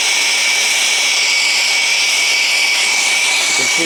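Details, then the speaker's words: Press torch that uses no oxygen, only mixed air, heating a height-gauge steel part slowly to red for hardening: loud, steady hissing roar with a swirling rush and no popping; the torch burns evenly and normally. "Now, once I light the torch, it's relatively loud, so I cannot speak any longer. It's that swirling noise of a press torch that that uh causes that noise."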